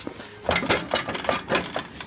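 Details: 1983 Ford Bronco, front jacked up and wheel rocked: sharp knocks about every quarter second from excessive hub play; suspected bad wheel bearing causing front-end noise, complete hub assembly later replaced.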